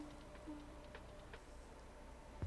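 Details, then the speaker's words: Maxtor hard drive from a woodworking CNC computer that died overnight, fitted with a donor board: faint, scattered sharp clicks over a quiet hum as it tries to read. Failing drive; no data recovered. "please don't make it so all this was for nothing it's got the clicky clicks now sounds like it's trying to read this time"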